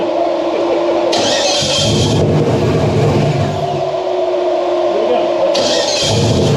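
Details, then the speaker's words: Flooded 1967 Mustang with turbo LS V8 on first fire with a base remote tune, after several cranking attempts: loud, even V8 rumble with clean throttle blips, running on all cylinders. Normal running. "we tried to crank it I don't know half a dozen a dozen times and it does run it sounds decent"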